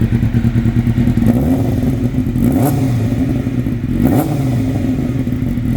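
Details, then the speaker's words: 1997 Suzuki GSX-R750 after valve work, with the intake manifolds replaced to cure air leaks and the filter oiled, mixture screws at two turns: crisp, even exhaust note, revs rise and settle smoothly, no misfire; running properly. "So, got the filter oil and this thing's just running as it should."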